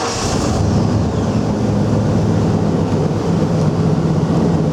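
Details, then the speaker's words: 1996 Ford F250 XL 4WD, engine possibly a 390 big block (unconfirmed), 91,537 miles, just started: deep, even idle rumble settling steadily, no tapping, knocking or misfire; exhaust sounds good; normal idle. "truck fires right up I didn't hear any kind kind of engine noise whatsoever no tapping no knocking no jumping around"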